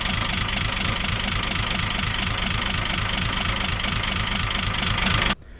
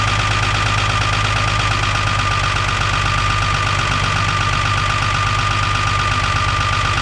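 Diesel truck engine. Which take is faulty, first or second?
first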